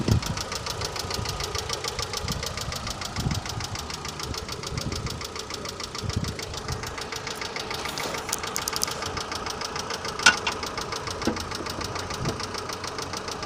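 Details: Mitsubishi Lancer 9 at idle: fast, even light ticking over a steady idle, keeping pace with engine speed; noisy hydraulic lifters.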